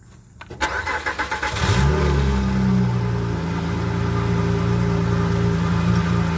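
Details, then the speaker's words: First cold start the day after a small exhaust leak on a resonator-deleted pipe was patched with JB Weld: starter cranks about a second, then a loud, deep, steady idle, loud from the missing resonator but no leak heard. "sounds pretty good the car is still loud because it doesn't have a resonator but it doesn't sound like it's leaking anymore"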